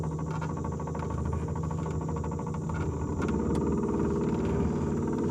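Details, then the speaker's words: Brand-new Minn Kota 30 lb thrust 12 V trolling motor on a loaded 14 ft aluminum boat, run at full speed about 3 mph: steady electric drone with soft regular thunk about 2.5 per second; propeller rubbing motor housing, owner unsure if normal. "I don't know what that thunen is I don't know if it's normal I have no other brand new Mota 30 lb of thrust uras to compare it"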